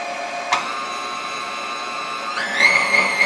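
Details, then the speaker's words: KitchenAid KSM150 mixer that fell off a counter and stopped working, after full disassembly, powder coat and reassembly with some new parts: smooth even motor hum climbing cleanly with speed, no knocks or grinding; normal running. "sorry you can hear it you know it runs good"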